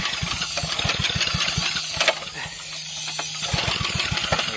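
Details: Propane-fuelled small generator engine run on the ground: catches and settles into a quick, even popping beat, one brief dip midway, then runs steady and smooth.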